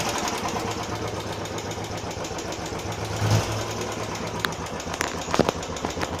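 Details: Royal Enfield Classic 350 single-cylinder at idle, after first service: light, fast tik-tik with the firing beat, first heard about 20 km after service, returned after 150 km; owner suspects tappet noise, unconfirmed.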